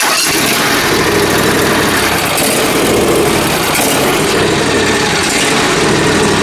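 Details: John Deere Z355R zero-turn mower with Intek engine, hot day: engine surges and runs roughly with a ragged, wavering note; partly closing the choke smooths it, and the owner suspects debris in the carburetor causing a fuel issue.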